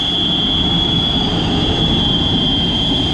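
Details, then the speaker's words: Baldor motor in a kitchen exhaust fan: a steady high-pitched whine sits constantly above the airflow rumble. Worn motor bearings, to be replaced with Japanese bearings. "got some bearing wine right here we're going to be changing the bearings out on this ball door motor that's inside here this uh special exhaust fan here for our kitchen so let's get started"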